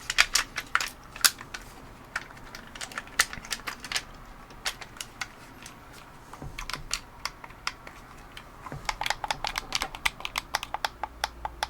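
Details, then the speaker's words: Logitech F310 controller after repair, button repositioned forward and to the side; crisp, clean single clicks, firm and sharp with no rattle or mushiness; sounds better than the other button, clicking normally. "now that sounds better than this one"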